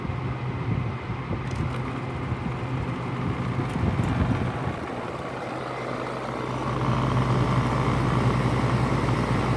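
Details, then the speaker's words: LG 5,000 BTU window air conditioner, compressor starting with fan on high, afternoon sun on the condenser: steady low hum growing fuller under fan rush, refrigerant gas flow audible, slight rattle; normal compressor running. "You can hear the gas flowing. And you know, I said this thing gets pretty cold."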